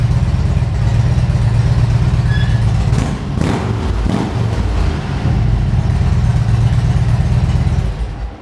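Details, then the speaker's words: 2013 Harley-Davidson Ultra Classic FLHTCU, a salvage-auction bike being rebuilt: a deep, lumpy V-twin rumble with a couple of quick throttle blips, pulling cleanly and settling back, a healthy big twin. "Man, did that sound great. I hope the microphone on the camera picked up just how great that sounded."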